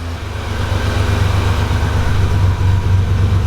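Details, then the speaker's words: Buick National with a petrol V6, just fitted with a vacuum brake booster in place of the Power Master, started after sitting a week; smooth, steady idle with an even pulse and no vacuum-loss stall. "fires up pretty easy it hasn't been running in about a week"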